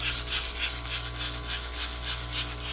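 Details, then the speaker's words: American Flyer #326 Hudson toy train locomotive from about 1954 under restoration: hissy chuff beats about three a second that bunch and stretch unevenly over a steady motor hum, wheels not rotating smoothly; binding, likely in the side valve gear. "So you hear the uneven progress of the chuck unit, and notice the wheels kind of not being in a smooth rotation."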